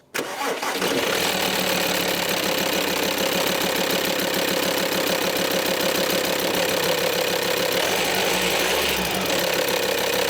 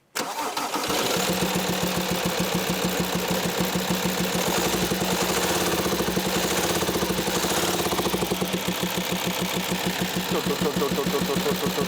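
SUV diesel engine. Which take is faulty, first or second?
second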